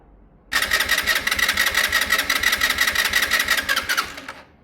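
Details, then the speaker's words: Sinnis Harrier motorcycle, cold start with brand new carb, battery boosted: single cranks catch into a rough, uneven buzz that stumbles and won't take revs on throttle. Old plug black and wet. "it just doesn't like revs on startup. Maybe a tiny bit. Let's try a tiny bit. Yeah, it really doesn't like any."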